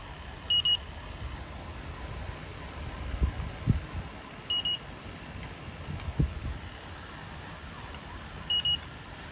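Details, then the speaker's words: Temperzone split ducted air conditioner not cooling: leak detector gives short high double beeps about every four seconds over a faint low hum, picking up refrigerant; Schrader valves later also found leaking. "Yeah, so we're getting a hit around there. I'll keep looking."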